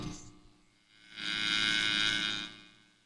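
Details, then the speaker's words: MTH RailKing S2 Turbine locomotive, microphone held up close: steady high-pitched buzz swells over a low hum as the smoke unit fan runs and smoke comes out; a separate buzz also comes from the tender speaker. "That is and you can see the smoke coming out. So, that's the fan. I can hear it buzzing."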